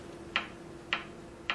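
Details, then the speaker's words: Philco 39-7 tube radio during repair, plate and grid voltages drifting high; sharp ticks about every 0.6 seconds over a faint hum, source not yet found; intermittent ticking noise. "the ticking noise it does not the same ticking noise that I get on all my radios uh above 900 periodically"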